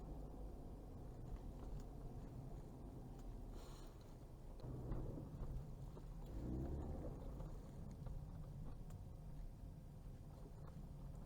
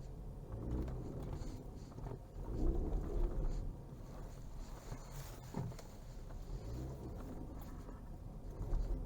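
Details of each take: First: Ford Fusion 4x4 EcoBoost after repair of rear AWD shudder and vibration when turning the wheel fully and accelerating: creeping through a tight turn with only a smooth low rumble, no clunks, shudder or noise. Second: Ford Fusion 4x4 EcoBoost AWD creeping through a tight, full-lock turn on an asphalt yard: low, uneven rumbling shudder and vibration from the rear drive system, a rear differential judder.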